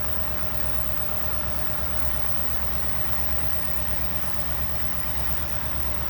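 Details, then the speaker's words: 1964 Buick Riviera V8 revived after sitting about 23 years, warmed up, idle raised, charging at 13.2 volts: deep steady idle with smooth even exhaust pulse, no knocks or misses; normal warm idle. "good that sounds sweet great all right sounds beautiful"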